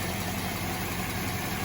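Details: 2006 Land Rover LR3 idling, charging voltage reading 14.1: even, steady idle with a smooth low hum, no knocks, misses or whine; engine sounds healthy.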